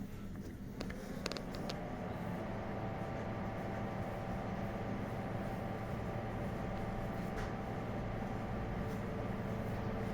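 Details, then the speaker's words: Cellsep centrifuge imbalance-sensor test: 80 g imbalance in position 1, 1200 rpm, no lid, 20°C, brake 9; the imbalance should be detected before 1200 rpm. A climbing spin-up hum has a wobbling beat as the machine starts vibrating; rotor imbalance vibration. "Donc là, la machine commence à vibrer, petit peu le switch."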